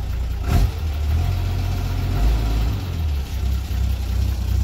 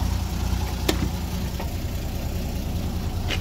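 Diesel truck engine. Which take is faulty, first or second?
first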